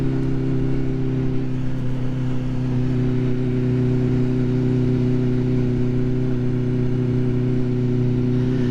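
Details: Vehicle accelerating on first ride out of the year, after last year's poor running and cutting out; smooth, even drone holding steady pitch under load, no stumbling or cutting out, sounding much better than before; normal running.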